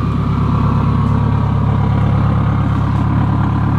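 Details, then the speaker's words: Subaru WRX with STI 6-speed swap, turbocharged, restarted after cooling because it won't idle when hot (owner suspects front O2 sensor, no check engine light); loud steady idle, even exhaust burble, faint turbo hiss; normal turbo idle. "I'm not 100% sure, but that turbo looks good, and all I hear out of the exhaust is turbo, and it sounds beautiful."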